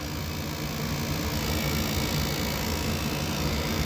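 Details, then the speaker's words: Goodman furnace inducer motor after a new pressure switch was fitted, before motor replacement: steady low droning hum with a rough, uneven flutter, sounding a little quieter but still noisy and worn; noisy inducer motor awaiting replacement. "Sounds a little bit quieter, but still."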